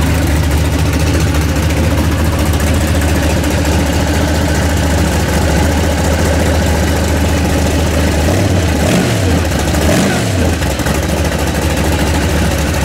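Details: Freshly built 406 small-block Chevy V8 in an S10 pickup, before maiden drive: deep, even burble at steady idle with no knocks or misses; fires cleanly and runs smoothly.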